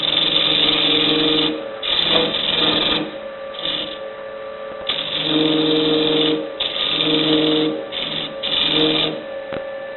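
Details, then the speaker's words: Wood lathe at 1,300 rpm hollowing a travel-mug blank: rough scraping bursts with buzzing, ringing tone; chatter with a freshly sharpened tool bit from long overhang in a hole gone out of round after drilling wet wood. "See, now the hole is out of round because it was drilled when the wood was still wet several weeks ago. You can hear the vibrations."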